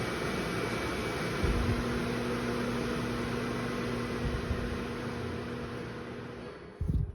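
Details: New KitchenAid KMHC319LSS00 microwave hood (made September 2023), uninstalled, six-speed vent fan at low speed (worst at 3 to 5): a steady airflow rush with a loud, constant low drone from the rear fan motor. Cause unclear; it measured 60 dB at speed 5 versus 58 dB at speed 6.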